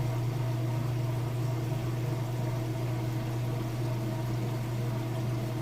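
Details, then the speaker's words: Whirlpool washer entering the final spin cycle, draining in neutral mode: a steady low pump hum holding one pitch with water trickling behind it. Draining normally. "Alright, moving into that final spin cycle now. It's draining all the water out in neutral mode."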